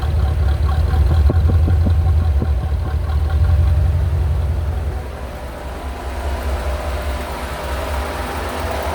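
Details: 1985 Corvette C4 idling smoothly after a no-start with no fuel pump power was fixed; deep, even idle with steady low rumble, with fan whoosh in front of the radiator on the microphone; healthy.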